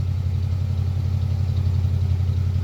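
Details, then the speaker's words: 1971 Cadillac DeVille 472 with a new gas tank and new resonator, warming up, off high idle at about 1200–1400 rpm: steady, deep, subdued exhaust rumble, much quieter than before. Normal idle. "All right, we knocked it down, got it off the high idle, so that's probably around 1200, 1400 RPM."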